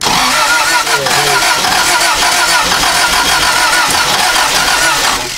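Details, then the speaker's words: 1994 Toyota Celica 1.8 with no spark, flooded engine, injectors plugged in, aftermarket air intake: engine cranks steadily without catching, then the cranking rhythm changes partway through, an uneven cranking worth chasing on this no-start. "It's flooded. That just changed. You hear the way that's cranking?"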